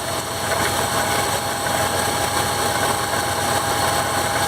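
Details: 2001 Dodge Ram 1500 5.9L V8 at idle: a steady rough grinding and whirring from the belt-driven accessories, worse once warm and left idling. Idler pulley bearings were going bad and it was replaced, but the pulley was not making all the noise.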